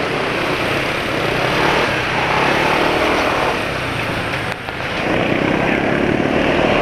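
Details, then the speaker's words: BMW motorcycle engine running on Ravenol TSi oil after a drain; steady engine with light, fairly quick ticking on top but minimal piston friction noise; suspected valve tick. "Ya moga-moga kedengaran, tapi suara ngetrik-ngetriknya agak banyak ya, ngetrik agak banyak."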